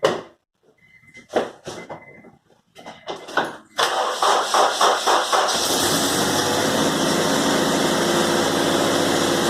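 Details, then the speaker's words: Supercharged Honda Civic K20A2 engine starting after a short crank, then idling unevenly and nearly stalling with a bad misfire on cylinder 4; engine being replaced with a K24A2 short block. "it's got a really bad misfire on cylinder 4 it runs horrible so the motors coming out"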